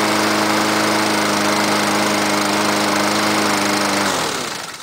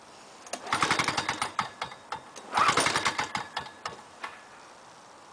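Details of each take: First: 2006 MTD Gold mower with a Honda GCV160 engine, cold start at 15°C on choke. A steady, even drone for about four seconds, then it winds down cleanly at shutoff: healthy running. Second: 1998 Lawn-Boy 10323 mower with a Duraforce 6.5hp two-stroke engine, swapped in, cold start on choke. After several pulls it catches and runs fast, high and buzzy: idle speed set too high, with a governor vane needing adjustment.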